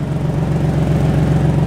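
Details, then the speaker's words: Nissan Turbo Z idling with a fast, rhythmic puffing tick on the exhaust note from a very bad exhaust leak, heard on one side, before a downpipe/exhaust install; boost not hitting as it should. "there's a very bad exhaust leak that we must fix. It's been way too long. Our boost isn't hitting how it should hit."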